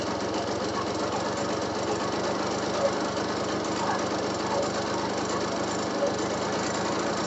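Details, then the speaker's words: RC two-stroke engine, hard starting needing fuel primed: rough uneven idle with a loud rattly knock throughout; owner unsure if from rod or piston, suspects rod mixed with worn rings; piston slap. "นี่เบาไม่นิ่งแล้วก็มีเสียงเสียงดังมากๆนะครับเสียงกราวดังมากๆเลยไม่รู้ว่ามันดังมาจากข้อหรือลูกนะแต่ที่คิดๆนะคิดว่าน่าจะเป็นข้อว่ะน่าเป็นเสียงก้านมากกว่านะแล้วก็คงจะผสมผสมกับแหวนนี่แหละ"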